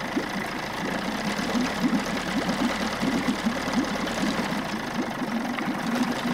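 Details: Steady popping two-stroke beat at fast idle with light rattly patter, running evenly: 1994 Johnson 6hp outboard with thermostat removed, pumping good water, running and shifting okay.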